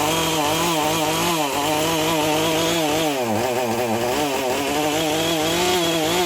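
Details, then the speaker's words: Husqvarna 450 chainsaw, bought for $10, said to lack power to spin the chain; with new 50-gauge chain, run on full choke with NGK plug: revs surge and sag, misfiring; owner suspects the Hipa coil or spark plug. "sounds like either the hip of coil isn't any good but maybe we'll try a different spark plug first"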